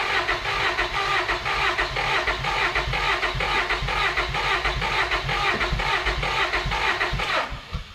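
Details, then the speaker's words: Honda Accord after new fuel tank, pump and tune-up, ethanol gunk found in old tank: starter churns about two beats a second, never runs; crank no start, owner suspects clogged injectors. "Come on! Just my luck. Can't be as simple as a fuel pump and a new tank. There's something else going on."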